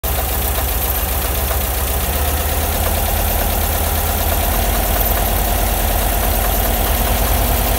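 Air-cooled flat four idling with a loose, uneven tapping running through the low rumble; something's off, but the cause isn't clear yet.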